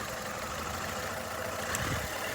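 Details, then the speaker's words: 2012 Nissan Altima 2.5 S, 2.5 L engine shaking at idle with a rough, stumbling low beat before a power balance test by unplugging coils; number one cylinder showed no change. "hopefully y'all can see what that motor is shaking more than an alcoholic with tremors"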